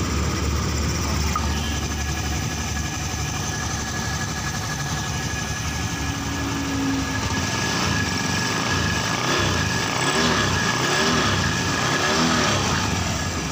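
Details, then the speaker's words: Honda Scoopy fuel-injected scooter after engine overhaul, DTCs cleared and injection reset to factory settings with scanner, CVT pulley not yet fitted: light, even tick-over with steady pitch, no knocks or rattles; normal running. "udah motornya udah enak banget ya teman-teman untuk area mesinnya"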